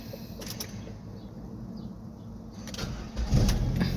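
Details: Ford Escape 2.3L after fuel pump replacement, which was done for hard starting and stalling while driving. Short crank, then it catches promptly and settles into a steady idle. It now starts cleanly.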